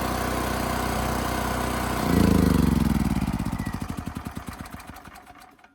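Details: Westinghouse 7,000-watt generator after carburetor cleaning, speed adjusted to 61.5 Hz: even, fast drone at governed speed, then slowing firing pulses as it winds down. Tachometer reads close to 3,700 rpm, matching multimeter; not overspeeding.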